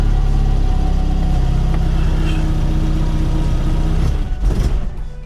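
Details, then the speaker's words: MK1 VW Golf Softtop carburettor engine at first startup, cold: idles steadily then stumbles and sags from too little choke; more choke was added and it ran happily. "Oh no. Sounds like we need to tune her a little bit. A bit more choke on."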